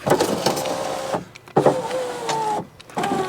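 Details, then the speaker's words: 2014 Fiat 500L salvage car, driver's door electric window tested after reconnecting the battery: motor runs in short bursts with a rough scraping drag; cause unconfirmed. "you know what I wonder if that's I thought I might have some of the broken glass in the runner but it hasn't actually got a runner as such as it"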